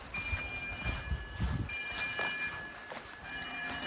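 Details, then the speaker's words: Bell on a Cyton CB1 conventional fire alarm panel system with Hochiki smoke detectors, sounding during a monthly test walk-around: a steady, faint metallic ring with bright tones under outside noise, not the loudest but working normally. "As you can hear. Doesn't sound the loudest, but it works."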